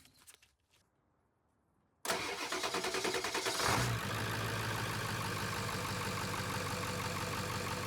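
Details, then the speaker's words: 1995–1997 7.3 Powerstroke diesel cranks, fires and settles into a steady, quiet idle with no belt squeal after replacing the squeaking serpentine belt. "Nice and quiet."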